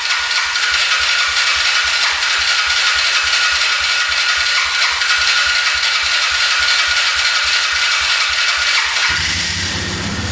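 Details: 2002 Polaris Magnum 325 4x4 ATV, bought as a non-runner needing a carb clean, on its first start with fuel reaching the carb and no choke. It has an even single-cylinder thump with loose-panel rattle and a beeping battery, and idles steadily with no knocking.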